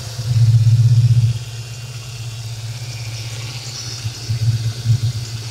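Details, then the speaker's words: 1995 Mustang GTS V8, engine bay, after replacing the faulty idle air control valve that caused erratic idle: brief blip, then settled even low rumble with no hunting or surging; normal idle. "She's purring now. I'm gonna step back away and talk about it. The car runs great. I changed the idle air control. It's very steady."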